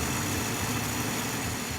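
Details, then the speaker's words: 1953 Packard after a few adjustments, no longer stalling when shifted into gear. Steady, even, smooth low idle with no misses or knocks. Normal idle. "so we got the Packard purring like a kitten here a few little adjustments and the thing is running the best it ever has"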